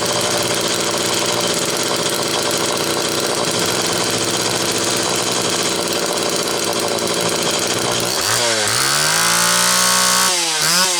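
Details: Homelite XL Automatic chainsaw after repair (fuel issue had forced full-choke running; new bar stud), cold morning, engine half warm; started in about six pulls; steady high-pitched run, then blips down and back up cleanly near the end; high speed close enough; normal running.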